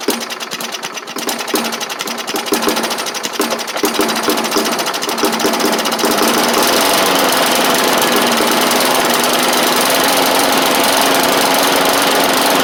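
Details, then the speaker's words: Bolens push mower, Briggs & Stratton Classic engine: fast uneven clatter that settles; it runs but the carb diaphragm still needs replacing, and the owner thinks some water remains in the fuel. "does need a diaphrag but hey it runs that need to Big de a change like I said awesome that's great"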